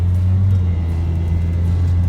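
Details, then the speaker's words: 400HP Nissan 200sx ice race car at full throttle for 5–10 seconds: a steady low drone that never climbs in pitch and cannot reach 50 km/h, a serious loss of power. Owner wonders about low power steering; cause unconfirmed. "listen to her i hope it's spinning because we're not going anywhere pedal to the floor for probably five five ten seconds couldn't even get up to 50 kilometers an hour that's just sad that's just terribly sad"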